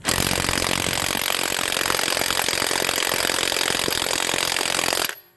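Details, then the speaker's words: HANS 1/2" cordless impact wrench (rated 530 Nm), battery said to be full: loud rattling hammer at about four blows a second, labored rather than crisp, weaker than a Dayplus; same after a full recharge, possibly defective. "I may need to charge this thing up. It doesn't sound anywhere near like the Dayplus. It sounds like it's struggling."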